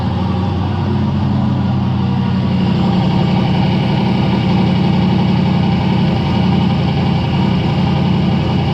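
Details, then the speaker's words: Big-turbo 363 Dart V8 in a Foxbody, new build, brief first start at night after parts replaced: a deep, steady, lumpy idle with no ticking or knocking; smoke was only spilled oil; sounds healthy. "i just want to start it so i can hear it run for a second and cross our fingers i guess"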